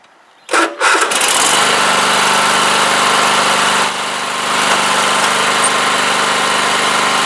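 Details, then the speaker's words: Cub Cadet LT1045 riding mower after replacing the bad center deck spindle; engine cranks, catches and settles into a steady even drone, quiet with no rattle from the deck; normal running. "okay that's working good it is nice and quiet I didn't hear all the rattling that was hearing there things working fine"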